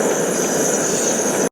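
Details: MSR WhisperLite backpacking stove fully warmed, valve wide open, boiling a quart pot of water; steady even hissing roar with no sputter or surging until it cuts off abruptly at shut-off; clean full-output burn.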